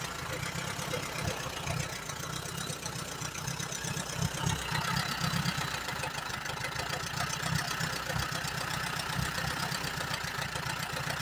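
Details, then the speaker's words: 1938 Allis Chalmers B with Waukesha engine: lumpy, uneven idle with irregular low thumps around four a second. It stays running only on choke, plugs are slightly rich, and the carburetor needs rebuilding. "This thing needs a carburetor rebuilt pretty bad. It don't want to run on nothing but choke."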